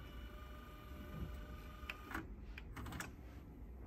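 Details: Teac cassette deck, just reassembled after its idler tires were replaced, tested in rewind: a steady, even low motor whir with a faint constant tone and a few light clicks as the tape rewinds smoothly and normally.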